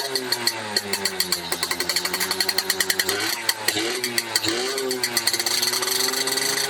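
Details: Restored, rebuilt Yamaha F1ZR two-stroke with standard CDI, pulser and magnet: uneven, sharp popping one to two per second over a strained, wavering buzz. The mechanic judges the ignition timing too far advanced.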